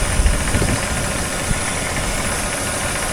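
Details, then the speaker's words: Jeep XJ just started after engine cleaning and aluminum valve cover install: steady faint high hiss over uneven idle, vacuum leak sucking air, location found; tapping also heard, owner suspects broken piston. "Sounds like we got air sucking somewhere. I don't know. I can definitely hear it sucking air."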